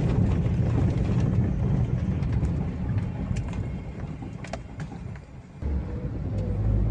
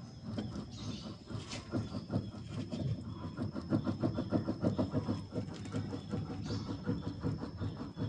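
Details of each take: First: 2013 Daihatsu Xenia with electric power steering, road test on a rocky road after repairing the steering gearbox/rack that caused a front-end knock felt in the steering wheel: heavy tyre and road rumble only, no knocks. The front end is back to normal. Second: 2012-up Avanza/Xenia with electric power steering, stationary, wheel rocked quickly side to side: dull repeated clunks each direction change from left side of steering gearbox, also felt over rough roads; worn steering rack bushing clunk.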